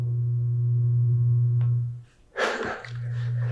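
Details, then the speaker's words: European 220–240 V rated hair clipper plugged via plug adapter into a US 120 V outlet without transformer: steady low mains hum, cuts out briefly, never spins up; undervoltage buzzing, blades not moving. "It's just not operating, it's just buzzing. But not enough to move the blades. The blades are not moving."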